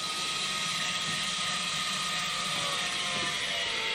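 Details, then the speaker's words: Rockwood UltraLite 5th wheel front stabilizer legs extending under motor power: steady high whine whose pitch sags slightly as the motors go tight when the legs meet the ground and take weight. Normal stabilizer motor under load. "you hear the motors go a little bit tight that's it they're in place"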